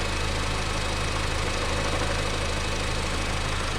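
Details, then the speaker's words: 2004 Honda Civic EM2 idling: steady idle with a rough gravelly whir and loose rattle from a worn clutch throwout bearing. "All that noise you hear, that's the clutch throwout bearing, which is going to be done in a little bit."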